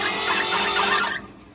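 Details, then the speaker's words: International Harvester B414 tractor, formerly seized, head off, cranking on the starter after being freed with a pry bar: a high, wavering squeal over the starter that fades when cranking stops, a belt squeaking on the pulley. "What is it? Oh, that's the belt squeaking. Look, hold on. That's what that is, the belt squeaking on the daggum pulley."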